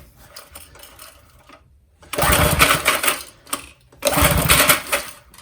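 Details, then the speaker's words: Old McLane lawn edger with Briggs and Stratton engine, freshly fueled, choked: two pull-cord cranks, rasping rattle, no firing; cranks but won't start, governor linkage appears disconnected. "I will choke it this time. That's rubbish. Yeah, nothing really. Okay, not unexpected."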